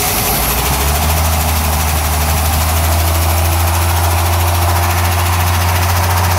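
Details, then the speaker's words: Chevy small-block K10 pickup with TBI, cold first start run with no engine oil: a loud idle with a fast, uneven clatter of about four ticks a second as the dry lifters can't pump up. "I don't think it hurt anything because it was running last week and there was oil in the bearings but the lifters were a bit unhappy because there's no oil to pump them up"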